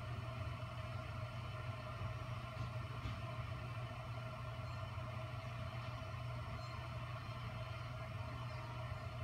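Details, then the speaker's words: Bezzera Strega heat-exchanger espresso machine after boiler fully drained in repair test: pump refilling the boiler with a steady low hum, no rattles or surging, flow rate great; normal pump operation. "so we literally drained all the water and you can see that the water level went down here to the pump and the flow rate is great"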